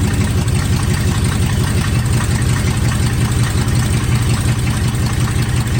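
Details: 1980 Chevy K30 squarebody, TH350 automatic after fluid, filter and pan gasket service plus a fluid top-up: steady even idle with no knocks or slipping whine as it engages gear; the truck can't move because the front driver's caliper is locked.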